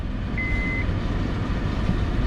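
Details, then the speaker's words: 2005 Honda Accord 3.0L V6, replacement engine's first start after filling oil, coolant and power steering fluid: quiet even idle right at 800 rpm with a short chime, no check engine light; slight exhaust leak suspected. "And she fired right up. Sounds good. Sounds like we got a little bit of an exhaust leak, but man, she's idling pretty good. She's idling right at 800."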